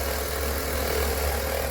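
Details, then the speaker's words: BMW E46 at idle after a new exhaust and catalytic converter fixed an exhaust leak: a constant mid-pitched whine from the engine bay over the engine hum, attributed to the alternator. "now that the exhaust doesn't leak anymore we have a strange sound from the engine compartment ya hear that"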